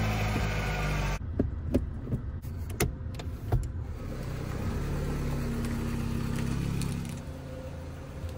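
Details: 2012 VW Jetta started just after replacing the H6 battery. A few clicks and handling noises, then a steady, smooth low idle with no stumbling or knocking: normal idle.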